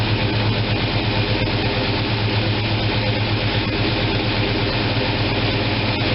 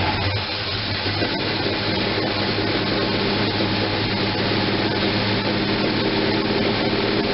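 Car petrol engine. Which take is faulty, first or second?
second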